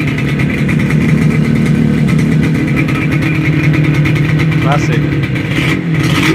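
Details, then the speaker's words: Yamaha RD250 two-stroke twin after long sitting, previously running on one cylinder: crisp, even running with a light rev, smooth regular firing on both cylinders, no misses or knocks; healthy. "classic yeah it go it sounds good there we go hey I wanted to give it a little Rev got to love the sound of a two-stroke twin"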